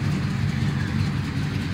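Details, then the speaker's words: 1984 Chevy C10 Silverado after a fire, repaired: deep steady V8 idle, even low rumble, no misses, knocks or ticks; normal idle after repair. "so anyway I'm just really blessed really blessed but that's all that it was and it's running good we good to go"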